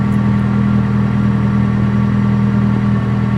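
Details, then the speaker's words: Honda K-series with Skunk2 Stage 2 cams, warming up at idle: light loose rattle over low hum, milder than the day before; owner suspected timing chain stretch, later found cams skipped two teeth and chain stretched 4mm. "Like, you can hear a slight rattle, but let me see. Yesterday it was doing it bad. I was driving it. It actually sounds pretty better than it did yesterday."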